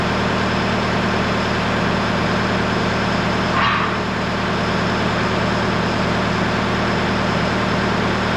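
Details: Case SV280 skid steer diesel idling after replacing rusted leaking main hydraulic supply line and two steel lines with rubber hoses: steady, even low hum, no misses or knocks, one brief hiss midway; checking for leaks.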